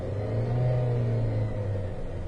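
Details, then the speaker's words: 2013 Dodge Avenger that intermittently dies while driving but restarts: engine revs up smoothly and settles evenly, no misses, hiss or knock, so vacuum leak or EGR issue unlikely; electrical fault suspected; normal engine revving. "I will tell you guys that the car sounds absolutely perfectly fine so I'm really not thinking we've got something like a vacuum leak EGR issue anything like that"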